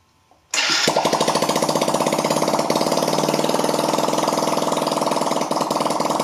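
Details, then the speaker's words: 1982 Honda C70, rebuilt engine with timing reset, first start since the owner has had it, compression looked poor, no muffler fitted: catches quickly, then a loud, fast, sharp popping beat, a little smoky; loud open exhaust. "all right so there's no muffler on this guy so this might be a little loud"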